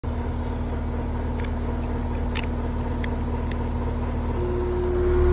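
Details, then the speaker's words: Outdoor AC unit with a failed run capacitor: only a steady fan whoosh and low hum, compressor silent and not pumping so the pipe isn't cold; capacitor then replaced. "that's the sound of a bad capacitor it's just a fan running the pipe is not cold because it's not pumping"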